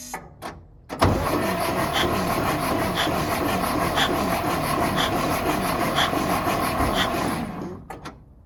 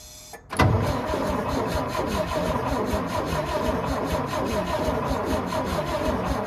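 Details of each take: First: Antique International winch truck that sat for a long time in the woods, fresh battery: starter spins the engine at a steady, even cranking rhythm without binding; engine turns over freely, not seized, and builds air pressure. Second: Antique International winch truck left sitting in the woods, gravity-fed fuel to the mechanical pump, starter cranks evenly but it never catches; no spark at the plugs, the ignition coil gets power but sends none out.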